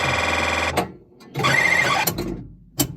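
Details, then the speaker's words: Gottlieb System 80 sound-only pinball board after the failed 6530 chip was replaced and damaged through-holes were fixed, tested in Spiderman: bright bell tones and chirps in bursts, playing Panthera sounds properly. "You can hear the sweet sounds of Panthera."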